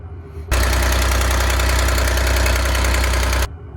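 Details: 6V92 diesel in MCI bus conversion idling with blown exhaust manifold gasket before replacement: heavy drone with sharp steady tick about four times a second; exhaust manifold gasket leak.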